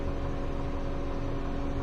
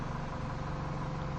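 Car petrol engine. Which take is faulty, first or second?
first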